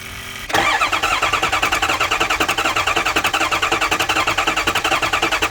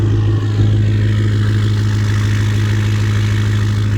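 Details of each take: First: Ford 6.0 Powerstroke diesel crank no start, cranking with fuel pump fuse pulled: steady cranking about 3.5 beats per second for seven seconds, never fires; no bubbles seen, ruling out injector O-rings. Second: Ford 6.0 Powerstroke diesel after replacing the faulty aftermarket standpipe, torqued to 60; catches after a long crank, then a deep steady even idle with no stumbling; normal idle after repair.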